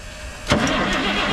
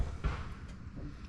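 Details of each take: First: 1987 Ford L8000 turbo diesel semi truck, parked 16 years, first crank attempt: starter spins the engine at an even, steady cranking speed with no stalls or drag; nice consistent crank, starter healthy. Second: 1987 Ford L8000 turbo diesel truck parked 16 years: steady strong cranking about three turns per second but never catches; fuel reaches the lines but not the injectors, suspected faulty fuel shutoff solenoid.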